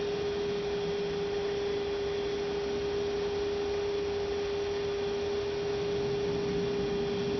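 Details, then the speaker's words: 2006 Toyota Prius coolant bleeding, late stage: electric coolant pump steady even hum, very steady current, no gurgling while running, funnel level stable; air essentially bled out, normal. "Yeah, that's sounding pretty good. Very steady current, no gurgling sounds when it's running."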